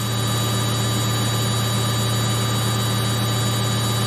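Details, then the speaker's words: Samsung 8kg Eco Bubble front-load washer, fast spin in last minutes of baby care cycle; loud steady roar, even hum, no thumping or wobble: very stable, no vibration. "it's very stable. No vibration, no noise. And you see, if you want to achieve your machine to be stable when it's spinning so fast, you need to do calibration before you start using the machine."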